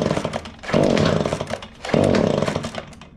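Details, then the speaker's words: Echo PB265L backpack blower, cold shop, sat 4–5 days, before new carburetor, fuel lines and filters: two pull-start bursts that catch under a second and die with rough uneven firing; hard starting, rough running. "Well, let's keep pulling, man. It is cold in here, and this thing's been sitting in here for 4 or 5 days."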